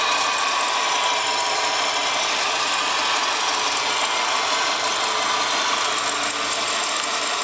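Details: Subaru WRX GDB running: bright, rapid ratcheting chatter over the idle; the strange noise was traced to a bad A/C idler pulley.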